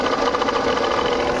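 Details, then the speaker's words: Jeep Compass diesel idling before repair, heard at the alternator from the engine bay's right side: loud fast rattling grind over the idle, present from start-up and continuing, from a failed alternator pulley bearing. "इधर से हमारी जो alternator है battery देख सकते हो कितना जोर जोर से आवाज आ रहा"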